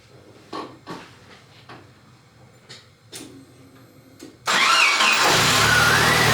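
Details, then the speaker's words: Jeep 2.5-liter engine after replacing worn rocker arms and pushrods to cure a ticking noise: clicks, then it cranks and settles into an even idle with no ticking, only a belt squeal; the belt is to be replaced. "I don't hear any noise. Besides the belt, by the way."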